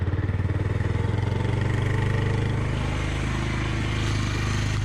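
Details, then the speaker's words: 2002 Suzuki GZ 250 single-cylinder motorcycle after sitting over 15 years, just started on choke after 30–60 seconds of cranking; fast, steady, slightly uneven thumping; runs. "Got a little choke on her. She's not bad. I will take that. So there we have it. Maybe cranking on this, I don't know, 30, 40 seconds, a minute, longer than a starter should. But she fired to life."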